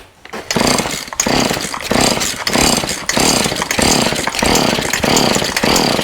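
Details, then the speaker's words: Husqvarna 36 chainsaw after carburetor clean-out, new fuel line and fuel filter, 50:1 mix, full choke: repeated pull-start strokes each with a firm, even puff; good compression. "Sounds good. Sound like good compression."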